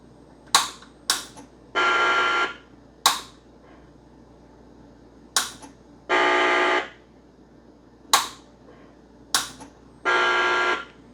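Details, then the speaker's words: Macintosh 512K with fully socketed logic board and previous repairs, power-on trying to boot an original system disc: every four seconds two sharp clicks then a harsh raspy speaker buzz instead of startup chime, no usable display; fault unidentified. "As soon as I turn it on, getting a very weird kind of scratchy noise from the speaker, and no sort of usable display."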